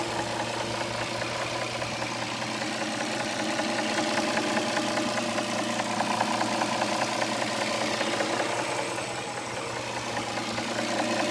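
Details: 2007 Dodge Charger 3.5 V6 at steady idle with a light, fairly regular top-end tapping over the engine note; oil level correct; owner suspects lifters or rocker arms, not confirmed.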